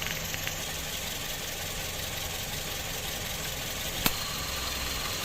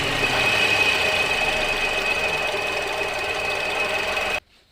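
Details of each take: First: Toyota Vios 2007 at idle with AC running, after compressor replacement, flush of all refrigerant lines, new filter-drier and expansion valve; original belt kept. Steady idle with smooth hiss, no knocks or squeal; compressor and engine normal. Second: 2007 Toyota Vios, idling with AC on, before compressor replacement: constant high-pitched whine over the idle until shutdown, from a noisy AC compressor pulley set; compressor to be removed for checking.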